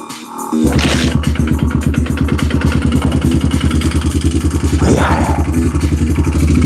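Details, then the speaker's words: Single-cylinder pit bike cold start with choke held by hand: uneven low lumpy thumping idle barely staying running; poor cold idle, owner then adjusts idle screw; cause not confirmed. "Got to hold the choke."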